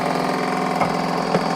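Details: Titan Impact X 120 cordless backpack airless paint sprayer running water through the pump via the prime tube to flush out paint: steady, rapid, even pulsing with no stumbles, normal pump operation.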